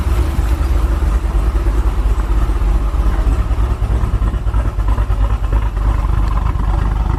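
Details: 2017 Chevy SS LS V8 first start after a BTR Truck Stage 4 cam swap: deep, steady, choppy lope at idle, about three pulses a second, running healthy; a belt squeak is heard.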